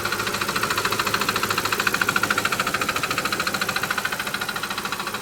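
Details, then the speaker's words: Audi D2 S8 V8, first start in about a year after a 2020 crash, serpentine belt off: rhythmic scraping pulses about three a second with a faint squeal over idle; crank pulley found interfering with something. "is that so loud okay serp belt is off let's see if it's internal and I'm screwed"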